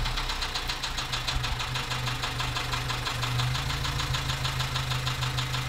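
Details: 2014 Dacia Sandero, D4F 1.2 petrol engine, at idle, heard at the tailpipe: a steady, fast, loud knock about three beats a second, a serious internal knock. Low oil and a possible spun bearing are suspected.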